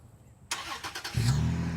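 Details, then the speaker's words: 2021 Toyota 4Runner TRD Pro using remote start (press three times, then hold), which is slow to engage. A short crank, then the engine catches and settles into a smooth, steady idle. "So 1, 2, 3, hold. It'll eventually start to turn on. It's turning on."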